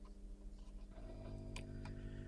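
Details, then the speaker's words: Fender Pro Reverb tube amp converted to 240 V, bench test with mic in cabinet; steady low mains hum with faint buzz, changes with volume not tone, so not in audio circuit; amplifier hum, source not traced. "right so the amp is on and running and you should be able to hear now because I put the other microphone in the cabinet is there is a hum there is a hum"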